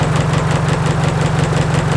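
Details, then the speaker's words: Nissan S13 200SX running on three cylinders at a shaky, pulsing idle; coil pack wiring pulled one at a time to find the dead cylinder, which traced to a misfire from a faulty injector connector. "if it dies or it runs even worse we know it's not that silver we pull it out it runs the same we know it's that cylinder you can hear us when it really drops"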